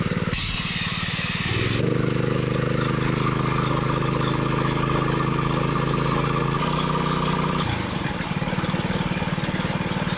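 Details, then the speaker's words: 6.5 HP, 125 PSI gas air compressor: a sharp air hiss from the unloader valve, then the engine picks up to a steady high idle; normal behaviour when pressure drops. "The unloader valve that just tripped and dropped it back down to an idle. So you can hear the unloader valve letting off air right here. And when you use the air, drop it below a certain pressure, it'll kick back up to high idle."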